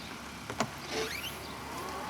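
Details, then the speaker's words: 2022 Tesla Model S power liftgate: soft motor whir while the tailgate moves with a faint thin chirp rising midway, a light squeak less refined than a Model 3's; owner hopes lubrication fixes it. Cause not confirmed. "Squeaking a little. Doesn't sound as loud as the Let me hear it again. That sounds loud. It's not as refined as the Model 3. See, squeaks a bit."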